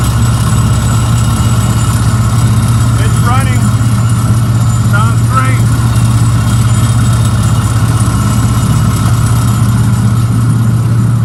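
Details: 2015 Isuzu Tymco sweeper truck (5.2 L diesel chassis engine), kicker motor with vacuum on: deep steady diesel drone under blower roar, no knocks or misses; auxiliary engine running smoothly, normal.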